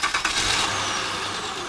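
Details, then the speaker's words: 2008 Honda Odyssey 3.5L after replacing both tensioner and bearing for a squeaking noise, belt reinstalled: engine catches and settles into an even idle with no squeal or chirp. Normal belt drive; noise fixed. "Alright, so the problem is solved. So that means either the bearing or the tensioner is bad, so causing that, making that noise."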